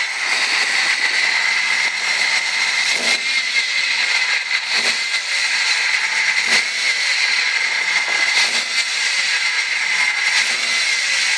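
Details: 1998 Ford ZX2 at idle with a steady high-pitched whine at a fixed pitch over the engine; odd noise, source still being diagnosed.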